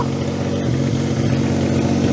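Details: 2006 Daihatsu Charade (Cuore/Mira L251) after an engine swap and fixing connectors: the engine catches and holds a steady, even running note that rises slightly at the end, with no stumbling; it runs normally, though it smokes, possibly from oil still in the catalyst.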